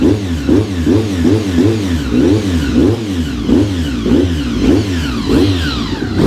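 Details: Honda RC45 RVF750 V4 after spark plug replacement (old plugs very bad; injectors tested fine): crisp, even throttle blips about every 0.6 seconds, clean firing, no misses; healthy, free-revving engine.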